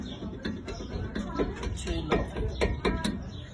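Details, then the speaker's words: Honda Civic: irregular metallic clicks and rattles as the brake caliper is moved, from loose caliper guide pins; causes ticking while driving and braking or reversing; caliper to be replaced. "ये गाड़ी का कैलिपर ख़राब है गाड़ी का, इसके पिन गाड़ी की लूज़ है। इसमें अक्सर चलाई में टिक टिक की आवाज़ आती है ब्रेक लगाने से।"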